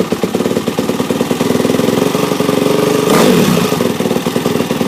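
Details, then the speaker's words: 2006 Yamaha YZ450F after engine rebuild with new parts, cleaned gears and clutch: crisp, even single-cylinder firing beat with a clean throttle blip around three seconds; runs healthy and smooth. "Scrubbed it down with as I expected, but it runs really good. It definitely likes all the new parts."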